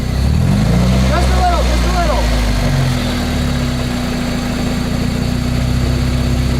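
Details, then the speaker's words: Spider run with wheels spinning in the air before an autocross: steady low drone with a faint hum; owner suspects a transmission bearing rather than a CV joint, cause not yet found. "so i have no idea what that noise is but i'm going to keep tracking it down as i continue to work on the car and i think i'm going to have to address it sometime this fall because it sounds like it's most likely a bearing in the transmission"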